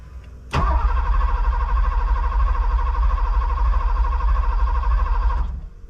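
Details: Porsche 928 with manual gearbox, long-sitting, first start attempt with the fuel pump audibly running. About five seconds of steady, even starter cranking with no firing. Cranks but gets no fuel because the injectors are stuck.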